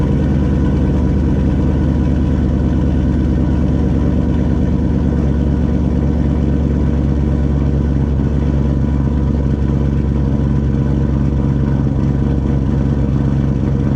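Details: Turbo GMC truck, first start on a new Turbonetics 78/75 BB turbo, idling only with the intercooler cold side unhooked: deep, even idle with a steady low drone and no knocks, rattles or whistles; sounds normal and quiet, no oil leaks.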